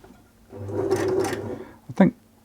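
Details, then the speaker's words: 1974 Singer Genie 354 sewing machine after servicing, straight stitch test on fabric: stitching with a light loose rattle and a couple of clunks; bobbin case rattling, likely too much clearance between bobbin case and metal plate. "that's this bobbin case just rattling a little bit here there's probably a little bit too much clearance between the bobbin case on this side here and this metal plate"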